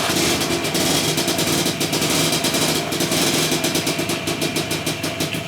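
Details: 1965 Lambretta Series 3 Li 125 bar-find scooter, first start after complete rebuild: crisp, fast two-stroke buzz with a fairly steady popping beat and no knocks or rattles; it runs healthily.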